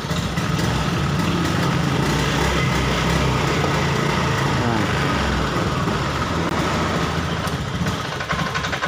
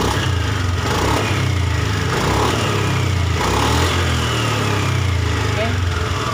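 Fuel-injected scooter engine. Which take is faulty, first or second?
first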